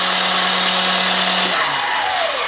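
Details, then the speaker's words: Honda CX500 engine just freed from being stuck, oiled cylinders, cranked via jump box: brief high starter whine, engine turning freely then winding down; starter noisy but cranking normal. "That's my starter making some noise, but that's good. That's a good way to clean up these cylinders pretty quick."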